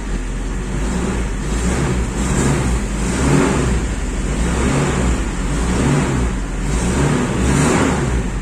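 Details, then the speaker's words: Toyota Kijang Super 7K carbureted engine, idle and air-fuel mixture adjusted: engine blips up and drops back cleanly several times with a steady low note between revs; normal revving, no problems. "Alhamdulillah tidak ada kendala mesin normal saja"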